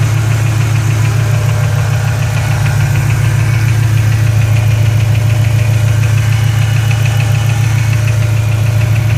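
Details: Shelby GT500 V8 idling at normal engine temperature with a light, even tick about two per second riding on top; ticking noise, cause not known.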